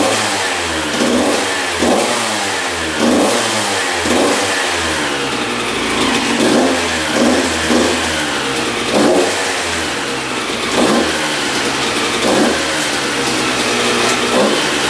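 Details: 1993 Honda CR125 two-stroke dirt bike on first start after engine rebuild fixing a misplaced shift fork, carburetor untouched: crisp blips rising and falling cleanly over steady idle, no stumbling or bogging; revs freely.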